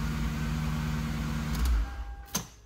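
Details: Lexus SC430 after the ABS/skid control module was replaced: a steady low idle hum with no alarm siren or tone for a second and a half, then quiet. The alarm noise stopped once its small speaker box was unplugged.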